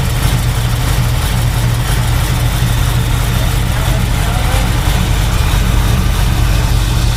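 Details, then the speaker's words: 1971 Chevy Nova with a Chevy 350 and rebuilt TH350, after new O-rings in the glass fuel filter to stop a fuel leak, warming up on half choke: deep, steady, even V8 burble with no knocks or misses; normal idle. "What'd you say? Does it sound normal? Yeah."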